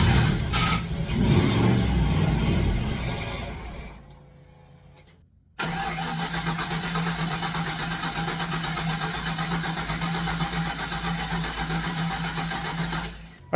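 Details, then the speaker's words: Fox Body Mustang: cranks, catches briefly on sprayed starting fluid, then dies back to cranking without running; fuel pressure present, owner suspects injector ground on factory harness. "right so it'll bark if it has fuel so the fact that I've got fuel pressure unknown quality of fuel but there's definitely liquid there should be enough to bark"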